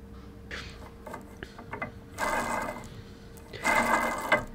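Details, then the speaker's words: SFU1605 ballscrew on a CNC machine Y axis, nut spun along the screw by hand: two gritty rasping bursts, the same all along; ball nut loose, possibly missing ball bearings, and was replaced. "and the one on the left you can hear that it must have not had the same number of ball bearings packed in so it's not sitting properly maybe all to one side if I it's also very loose"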